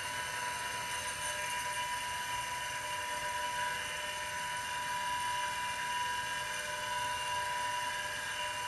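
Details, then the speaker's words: IBM XT 5160 10MB hard drive, spun up after manual kickstart, drawing about 2.5 A on 12 V: constant high whir with steady whines and faint rasp; bearings sound unhappy, dry spindle bearings suspected. "Well, now we're at 2.5 amps. These bearings do not sound happy."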